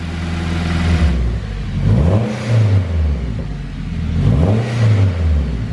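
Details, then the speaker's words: Honda Civic EK hatch with K20 turbo: the engine revs up and settles twice, smooth and even, with no chirp, squeal or rattle from the belt side; it now runs quietly. "Yeah, that's nice now. Sounds as good as it looks,"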